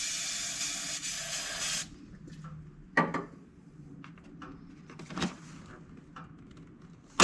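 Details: 1975 Lincoln Continental Mark IV revival, hot-wired, in park, fuel poured in: starter churns a couple of seconds then stops with scattered clunks; engine never catches; spark uncertain, starter being replaced.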